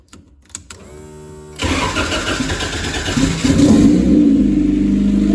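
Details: Rear-engine Honda CRX with a custom turbo kit, restarted after the build: starter cranks briefly, engine catches and settles into a steady, even idle with no misses or knocks.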